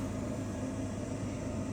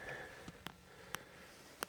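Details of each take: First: York Diamond furnace after replacing the failed inducer motor: even, steady air rush over a low hum, no rattle, squeal or grinding; hot air comes through the vents, furnace running normally. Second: York Diamond furnace with a no-heat call: very hot inducer motor gives a few clicks then a steady low hum without spinning up; three flashes indicate a pressure switch fault; voltage is present and the capacitor was recently replaced, so the inducer motor is bad/seized.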